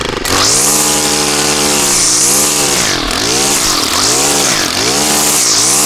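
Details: Stihl trimmer after cleaning carbon off the spark arrestor screen with a propane torch: high buzzing two-stroke holding steady at full throttle, dipping briefly as it bogs into weeds and recovering cleanly; normal running.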